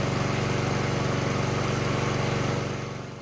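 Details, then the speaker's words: Honda-type small single-cylinder engine about 3 minutes after start, choke open, idling smoothly with no surging after the clogged pilot jet was cleaned; before the fix it sputtered and surged once the automatic choke opened. "that's way past the point of where it had a problem before so it looks like it's working fine"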